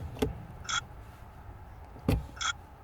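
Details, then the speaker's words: Mercedes C-Class W204 with no ignition from a steering lock (ESL) fault, after the lock was removed and repaired; key turned in the quiet cabin gives two soft thud-and-chirp pairs, normal unlocking, and ignition returns. "that it does a little noise uh simulating the actually uh unlocking noise that's funny"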